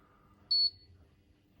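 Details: Hotpoint Quadrio fridge freezer: one short high-pitched electronic beep warning the door was left open; fridge now running at 3–5°C after earlier knocking/ticking while cooling.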